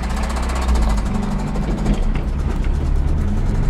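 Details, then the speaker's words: 1994 Toyota Hilux 4x4 pickup, 4-cylinder 22RE, sold as a mechanic's special, while driving: a low engine drone with a fast, light tick from the top end. The cause of the ticking is unknown. "that's your truck it's it does it it goes but you got some ticky tickity up there and i don't think a tickety-ticky is what you want"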